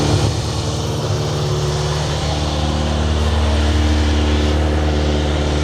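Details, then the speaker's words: Older four-cylinder sportsbike on stock exhaust, first cold start after purchase, old fluids unchanged: strong rev rising and falling evenly, no knocks or rattles; healthy, though running a little rich by smell, dyno tune suggested. "But listen to that, sounds awesome."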